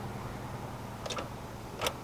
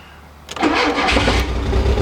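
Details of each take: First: Automatic Mk2 VW Jetta, key turned with microphone in the engine bay: two faint dry clicks with no cranking; old starter completely dead, later replaced. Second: Automatic Mk2 VW Jetta after starter replacement: quick, strong crank and the engine fires straight away and runs with no muffler; new starter cured the no-crank, though it then died, likely out of fuel.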